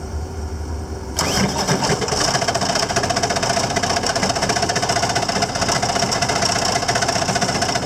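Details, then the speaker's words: Machine with brand-new, clean, full oil: the engine settles into a harsh, rough grinding clatter over idle. Owner suspects the shaft has broken off again. "sounds like the shaft broke off again yeah that's what it sounded like to me that the shaft broke off again"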